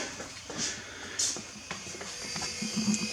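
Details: WAR Corsair kit aircraft, landing gear drive motor lowering the gear after gear door adjustments: a light electric motor whirs steadily with a high buzzing tone; it sounds normal.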